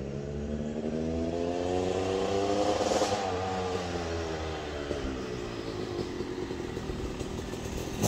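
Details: Yamaha YZ250 two-stroke (270cc/250cc) motocross bike on break-in street ride after full engine rebuild (bottom end, transmission, bearings, clutch, power valve): crisp revs rising and falling through gears, no clatter or missing, shifting smoothly; healthy.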